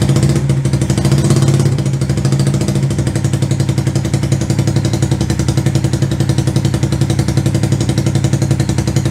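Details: 125cc CCW Sinnis Heist chopper single after carb float-height adjustment: steady, even thump at a fast idle, no misses or stumbles; settles and runs cleanly.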